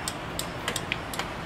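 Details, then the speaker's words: Kazuma Mammoth 800 side-by-side after fitting a new turn signal flasher in place of the cheap original: crisp, quick, even ticking a few times per second; the flasher now cycles nice and fast. "one over there. See, it flashes. So that's a lot better."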